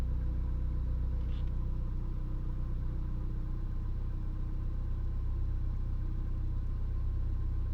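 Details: Car that also jerks under load and hard acceleration idles with a deep rumble and slightly uneven pulse that stumbles now and then; misfire at idle, cause unknown.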